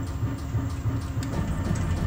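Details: Mercedes-Benz S-Class W222 rear Bilstein DampTronic Sky adaptive shock on a test bench, set to firm: even regular thumping about three times a second, no knocks or squeaks; damper working normally.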